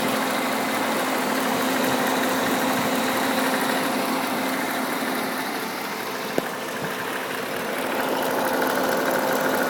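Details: 2008 Pontiac G8 GT V8 at steady idle, hood open: light, fairly quick ticking about three a second; owner is fairly sure it is the well-known lifter tick.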